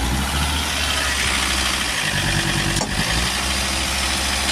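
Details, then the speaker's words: Volvo XC90 2.4 D5 diesel idling, single sharp clunk when shifted out of gear, present for about two years; loose engine mount bolts found, tightening them cured the clunk. "Clunking noise as it goes out of gear. Let's have a look. See if I can get him to replicate it. Looks like it may need engine mounts."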